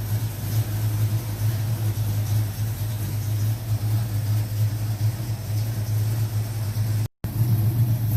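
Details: 1970 Ford Mach 1 clone V8 with a 600 Holley carburetor, started just after a gasket rebuild, still a little cold: deep, even burble at idle with no misses, ticks or surging; normal idle.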